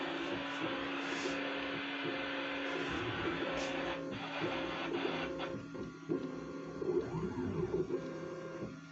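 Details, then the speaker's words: New 3D printer, first run: short repeated motor whirs at steady pitch, pausing between probe points in a quiet room while it goes all around the bed; normal, lengthy auto bed leveling. "Ah bah là, voilà, elle va faire tout le tour. Alors là, c'est long, donc je fais comme d'habitude."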